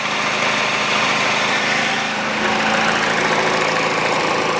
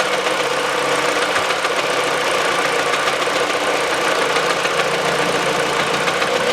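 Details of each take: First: Peugeot 408 2012, 1.6 petrol, automatic, 87,000 km: after replacing the stretched drive belt (DAYCO 6PK900), a steady, smooth idle with no knock or belt slap, and the tensioner no longer shaking as it did before. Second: Peugeot 408 2012, 1.6 petrol automatic, 87,000 km, idling on the old stretched drive belt: light rattling knock from the front belt area; the stretched belt is making the tensioner bang.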